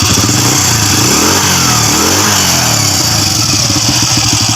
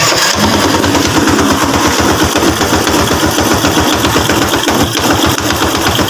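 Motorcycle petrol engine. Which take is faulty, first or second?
second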